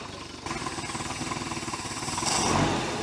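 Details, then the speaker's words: 1973 Larson boat, Mercruiser 120hp 2.5L, warm, alternator about 15.25 volts: engine catches and settles into an even, steady idle, about four soft pulses a second, no misses or knocks; sounds smooth. "I can smell some horsepower horsepower baby sounds pretty smooth smooth"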